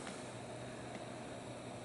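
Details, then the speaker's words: Corsair TX750W PSU after lubricating the loud fan bearing: soft, steady airy whir with faint even hum and no rattle or ticking; normal fan running. "hear any rattling anymore I'm sure it's never been lubed"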